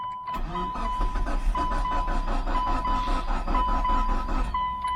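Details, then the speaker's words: 2000s third-generation Mitsubishi Eclipse GS, fuel-injected, cranking without starting: steady starter cranking at an even rhythm with a light quick beat and no firing; owner suspects weak compression or bad gas, unconfirmed. "It acts like it wants to start. I don't want to burn the start up. Sound like it's weak on compression."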